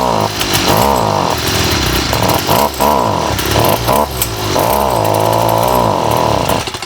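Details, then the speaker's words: STIHL FS38 two-stroke trimmer before repair, carb already rebuilt, spark arrestor cleaned, low on gas then refilled: revs surge then sag and stumble every second, never holding speed; bogging from a faulty carburetor. "It does start. The only thing is it runs intermittently, doesn't prime well as well, so that's another issue. And the main issue is it bogs."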